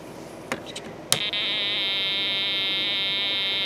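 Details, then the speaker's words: ELENCO Snap Circuits project 347 (Telegraph), with the camera brought close to the speaker: a few clicks, then a steady high buzzing tone holds evenly once the key is pressed. The resonant oscillator feeds the transformer, giving an AC signal to the speaker. It is working normally. "so now you should be able to hear the output from the speaker there a lot more clearly with the camera a lot closer to it"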